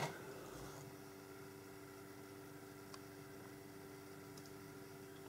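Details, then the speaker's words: Dell Alienware AW2725Q OLED monitor at 100% brightness, HDR off, showing a bright screen; after 5–15 minutes the internal cooling fan starts, a steady low whirring hum with constant tone in a quiet room; loud fan noise. "Pokud máte zobrazenou takovouhle světlou plochu, tak po 5, 10, 15 minutách se rozezní vnitřní ventilátor, který je dost hlučný."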